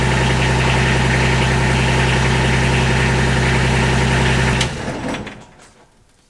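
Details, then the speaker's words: Kubota RTV 1140CPX diesel after fuel system upgrade (new filter/separator, pump, fuel line) that had hard starting, rough startup idle and fuel starvation: steady even idle, no misses, clean shutdown; now starts immediately. "that is amazingly fast it it turns over and starts immediately it has never done that"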